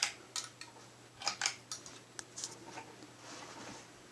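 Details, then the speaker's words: 1991 J&P (Kmart) 42-inch top-mount spinner ceiling fan with heavy wood blades, on high speed: irregular high scraping chirps over faint motor hum from worn, screeching bearings, slight wobble; bearings later quieted with longer running. "Does have pretty bad bearings though. Tiny bit of a wobble. Does move decent air though. Hear them bearings screeching away."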